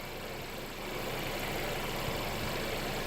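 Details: Mercedes CLA idling after a DIY oil change with Mobil 1 0W-40 and an OEM Mercedes filter. Even, smooth idle hum at a steady level with no knocks or ticks. No oil leaks were found; the engine runs healthy.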